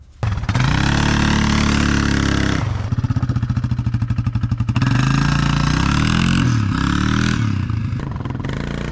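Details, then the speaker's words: 1998 Yamaha Grizzly 600 4x4 after repairing a wrongly assembled, stuck CVT without new parts; engine climbs smoothly through rising revs into its power band without bogging; normal CVT acceleration. "you can hear in these next two clips the before and after now it's able to rev out into the engine's Power Band rather than getting bogged down by the stuck CVT"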